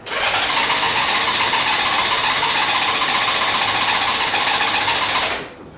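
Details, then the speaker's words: 1997 Honda Goldwing, sat about a month on month-old fuel, suspected bad fuel, before additives, tried no choke: steady fast whirring crank over five seconds, never fires; battery seems to weaken. "You can hear it doesn't want to start. You got no choke on now."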